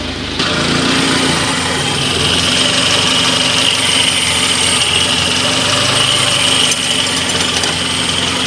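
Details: Engine after a no-start, no-click fault: catches and settles into a steady, even idle with a smooth hum and no stumbling. Now running normally.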